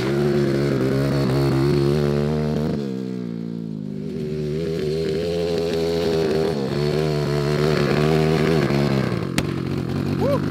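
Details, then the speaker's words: Homemade 190cc single-cylinder 5-speed go-kart, cold muddy day: buzz sags and drops in pitch for a second or so, then picks back up unevenly; stumbling under load, likely low on fuel. "oh I think we're out of gas that makes sense"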